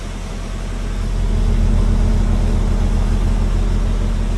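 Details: 1987 Volvo 240 GL wagon after an estimated 5+ years sitting, smoky garage, idle screw raised: low, uneven idle pulsing about 3.5 beats a second with slight stumble; rough idle, cause not confirmed.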